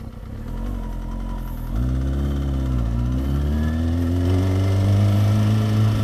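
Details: Warming up at idle after a first tune-up (fluids, chain cleaned and lubed) on the owner's first motorcycle: steady low engine note climbing smoothly as revs rise, even firing, no knocks or rattles; healthy, quieter than before service.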